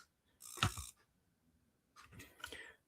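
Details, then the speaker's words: GAMA Sfera hair dryer demo unit that died during a client demo after a nozzle came off. Two short dry clicks about 1.5 s apart, with no motor spin-up. Smart feature works, dryer dead. "The smart feature is working, but the dryer is not because I heard it click."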